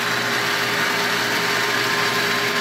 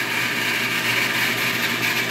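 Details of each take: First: 1.5 hp water pump, before repair; motor starts correctly and it's not the capacitor: steady hum with a mid-pitched whine and light hiss, running without load, and pressure drops to zero when the tap closes; a clogged check valve stops priming. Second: Repaired 1.5 hp water pump with pressure tank filling, set to cut out at 32 psi and restart around 20 psi: steady, even motor hum with a constant high tone and no knocks or surging; running normally.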